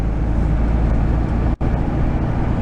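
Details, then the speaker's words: 1974 VW Super Beetle on the road after swapping in a rebuilt transmission: steady road rumble, some noise from one rear tire, and the old transmission whine is gone; normal transmission. "but 100% improvement. Before you couldn't even hear the engine run. All you would hear is the whine of the trans."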